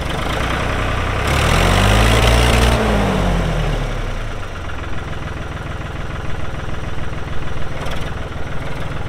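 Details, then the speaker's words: 1999 New Holland TN65S 4WD diesel tractor, 8-speed hydraulic shuttle, NH 33LA loader, 4,162 hours: diesel fires up, swells and eases back to even idle clatter, steady pulse, no knocks or misses; hydraulics strong, engine sounds good — normal diesel running. "Hydraulics are strong engine sounds good all right like I said it's a 99 model TN 65s"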